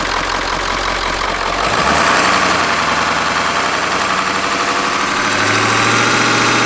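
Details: Ford E350 4x4 van, 7.3 liter diesel, just started, not yet at operating temperature. Deep diesel clatter settles to an even idle and picks up smoothly a few seconds later; normal smooth cold idle.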